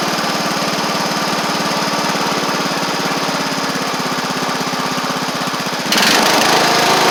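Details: Sabre riding mower after repair (drive belt and blades replaced, a large oil pool cleaned up) putters at an even beat with a smooth throttle-up near the end. Residual caked-on oil is burning off through the exhaust. It runs fine.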